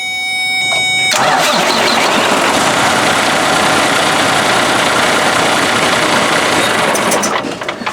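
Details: Freightliner Cascadia with a DD13 and Eaton 10-speed manual, towed in with a starter relay open-circuit code (SPN 677 FMI 5). Power probe on the starter solenoid read 9 V while cranking; the starter engages and cranks strongly and evenly. The MCM-to-solenoid wire had rubbed through.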